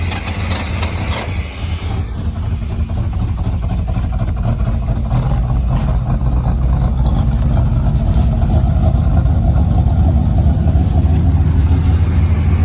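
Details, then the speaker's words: 1991 Chevy stepside 350 V8, sitting 2–5 years, running on fuel poured into the carb with a spare battery: it runs rough and loping for about ten seconds, then dies as the fuel runs out. A new fuel pump is needed. "there it goes run out of gas yep so it is a fuel pump that's all it all needs"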